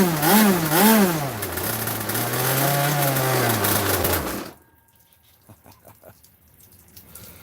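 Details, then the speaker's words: Boat engine started cold, no idle screw, throttle held by a poor servo: small engine buzzes high and wavers instead of settling to a low idle, then cuts when brake closes throttle; servo to be replaced. "But u that's why the idle's so high cuz like when I just killed it, all I did was push brake and it just close closes the thing off."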